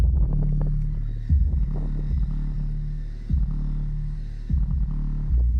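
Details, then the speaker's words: Clean, solid bass pulses with no buzz while the suspect passive radiator is held: sealed 3 cu ft box with two Power Acoustik GW124 12-inch subs and four Earthquake Slaps M12 passive radiators in a 2018 Chevy Impala; owner suspects a loose or cracked radiator weight, or mounting. "Now, that's clean base."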